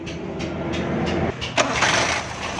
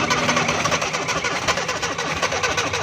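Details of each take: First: Suzuki FX 796cc petrol/gas car that wouldn't start because gas and petrol both entered the carburetor; with gas shut off, starter churns briefly, engine catches at about 1.5 s and settles into steady running on petrol; normal start. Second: Suzuki FX 796 cc car that won't start on petrol, even with petrol poured into air cleaner: long crank with ragged uneven firing that never catches; gas and petrol appear mixed, flooding the engine, so gas to be shut off.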